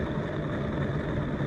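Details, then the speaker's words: Kart wheel spun by hand: low, rough, continuous grumble, same on both wheels checked. Owner suspects bad wheel bearings but is unsure whether it is normal. "I know when a bad wheel bearing is as to when you hear a load of noise uh grumbling noise and this is what these have right"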